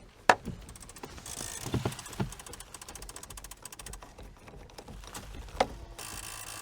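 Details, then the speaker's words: 1997 Chevy Silverado C1500 two-wheel drive, 5.7L Vortec V8, sat for years: irregular ratcheting clicks and small clunks from inside the dash with the engine off; the tape player mechanism is spazzing out. "oh it's the tape player tape player spazzing out"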